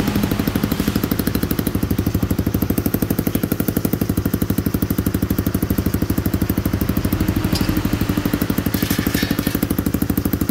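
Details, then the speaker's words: Rebuilt Honda Cub-type small single-cylinder motorbike engine, rope started, exhaust just pressed on and not yet bolted; crisp regular putter at fast idle, no knocks or misses, sounds healthy. "Nó rất là đơn giản để xe này khởi động một con xe lổ nó quá là đơn giản đối với mình đấy máy cực êm cực chất luôn anh em nha"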